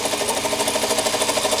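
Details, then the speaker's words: 2007 Toyota Camry with 265,406 miles, engine idling with no smoke; a fast, even, light metallic ticking at about twelve per second. Source unknown, and the owner wonders if it is the alternator. "It's just that sound. I just can't figure what that sound is. I really can't figure out what the sound is. It's like the alternator."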